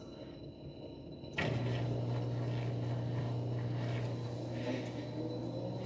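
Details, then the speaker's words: Mabe front-load washing machine after repair of loud spin noise, reassembled: clean steady hum climbing evenly as drum speeds up to full spin, no rumble, grinding or snoring; normal spin. "we continue here we already have our washing machine squeezing we see that it doesn't make any noise so scandalous as well let's hope it speeds up a little more"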